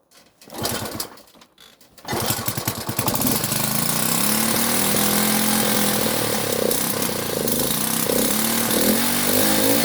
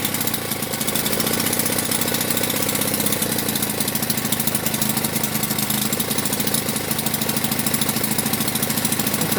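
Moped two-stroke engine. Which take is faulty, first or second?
first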